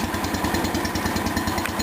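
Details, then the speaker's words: 1977 210 tractor after replacing and readjusting the variator pulley, motor deck back on, foot off the clutch pedal: steady low thumping with only a slight transmission whine, much quieter than before. "I can only hear a slight whine of the transmission this is great A lot quieter than it was"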